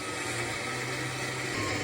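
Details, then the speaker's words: Winch dragging a 1985 Ford F350 dually (460 big block, C6 auto), parked in a barn about 12 years and not rolling freely: harsh ratcheting grind with a strained hum; owner suspects the winch gearbox is going out. "Oh, it's dragging. Oh. Winch ain't liking this. I think the gearbox is going out on my winch."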